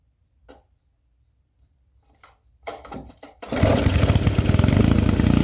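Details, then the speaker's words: Old vintage generator, free, just fired up on choke after a cold start with the air filter off: a few seconds of fiddling, then a fast, even popping run; normal running. "I can't believe this thing just fired up like that either. I didn't expect that to happen."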